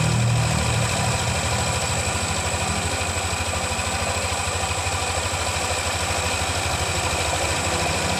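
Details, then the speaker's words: Yamaha NMAX 155 (new model) after the rocker arms in the cylinder head were replaced and CVT and tank refitted: even, steady idle putter with regular firing and no top-end tapping, smooth again; normal idle. "Oke jadi suaranya sudah kembali halus seperti semula"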